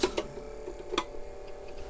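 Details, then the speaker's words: Apple II Plus Disk II floppy drive after cleaning and servicing: sharp dry ticks at irregular spacing over a faint hum as the head steps while booting ProDOS; drive sounds healthy. "the head stepping I'm we're booted into pro boss I'll the menu still coming up but there we are that does the drive doesn't sound bad"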